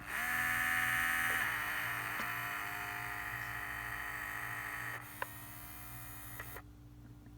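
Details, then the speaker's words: Steering servo hum on a vintage 1978 Shinsei Fire Fox (Lamborghini Cheetah) RC car, dormant a long time, which had forward/reverse but no steering: a faint steady high buzz with light clicks, then quiet, as the servo barely moves and comes back to life. This hum is normal. "so you can see it's just barely moving that humming sound they always kind of make that noise so this motor is coming back to life"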